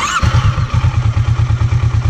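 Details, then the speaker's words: Kawasaki Versys 650 parallel twin, idle read on a scanner at about 1,100–1,200 rpm (target mid-1,300): even, steady idle with a slow, lazy thump; idle speed set slightly low before adjustment. "Vocês conseguem ver aí ó que o revis a marcha lenta tá mais ou menos a 1100 com uma pequena variação ó 1.178 1.200 ou seja tá um pouquinho baixa ainda"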